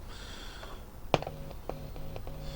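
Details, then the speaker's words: Hacker Herald RP30 transistor radio, 18 V on the socket pin: low steady hum after a sharp click, with faint crackles, from the speaker when a loose electrolytic capacitor is touched; capacitor suspected faulty. "oh oh we have H from the speaker I don't know if you can hear that I'll turn it"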